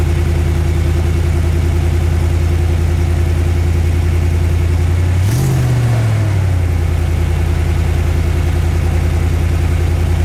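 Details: Truck with an aftermarket MagnaFlow side-exit dual exhaust, restarted after clamping an exhaust leak: steady, even low idle with one brief throttle blip, and no ticking or puffing from the exhaust.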